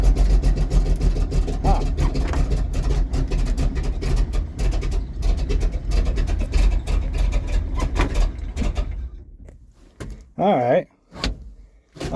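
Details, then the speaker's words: Cold start of a 1951 GMC Van Pelt fire engine inline-six at about 38°F, long unprimed, with pedal pumping. The engine holds a loud, high runaway rev for about eight seconds, then cuts out. This never happened before; throttle sticking open. "there's something going on there well then I guess uh well that's gonna be for another tale then a little bit of a runaway there it didn't happen before"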